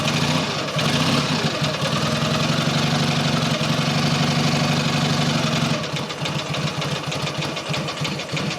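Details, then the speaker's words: Matchless G11 twin just after full engine rebuild, started cold without choke, ignition fully advanced: slow, even cold tick-over at about four beats a second, no knocks or rattles; normal cold idle, to be sped up slightly. "tick over is always a bit slow when they're cold so we can speed it up a little bit"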